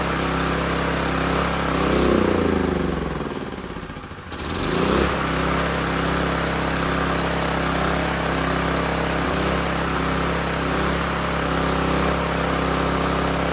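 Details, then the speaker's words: Old 5500-watt gas generator after carburetor replacement, running on petrol mixed with a little diesel and tank nearly empty; steady beat but slightly uneven loping chop; rough running, owner attributes it to the diesel. "all right well that one runs now it's a little choppy but I put a little bit of diesel fuel in the gas uh before I change the carburetor"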